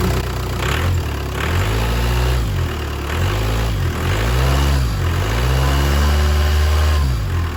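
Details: 2010 Jeep Patriot 2.0 CRD (VW 2.0 TDI PD) after oil light came on, first start after replacing oil pump drive, new oil filter and oil; catches and settles to steady low idle with a few rev blips, no knocking; normal start.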